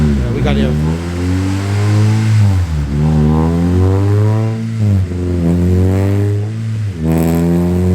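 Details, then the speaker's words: VTEC engine on dyno after top-end cam adjustments: repeated full-throttle pulls climb cleanly with no popping or breakup; engine runs clean under load. "definitely much cleaner sounding um he's gonna you know take take out some of the advancing on the cam and try to go back there into the other direction but definitely sounds cleaner"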